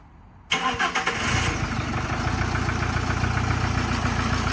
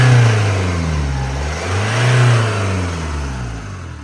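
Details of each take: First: Camper van with replacement engine just fitted, new timing belt kit and water pump, fuel primed: starter catches within a second and it settles into an idle, described as shaky; no knocking or rattles heard. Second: Camper van's freshly fitted replacement diesel engine at first start after fuel priming: runs unevenly, low drone swelling and sagging instead of a steady idle; rough running, injectors not yet calibrated, suspected cause unconfirmed.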